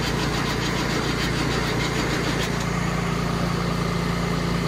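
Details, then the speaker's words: Diesel cranking with ether after battery connection was tightened: quick, even, brisk starter cranking at about three beats a second, now spinning over properly; normal cranking. "All right, tightened up battery connection. Cranking better."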